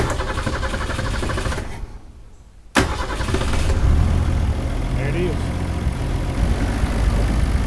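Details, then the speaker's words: 1962 Ford Falcon revival, newly fitted electronic fuel pump holding about 5 psi: petrol engine runs rough and uneven, stumbling before picking back up, due to a blown head gasket. "it's running as good as a engine with a blown head gasket can run"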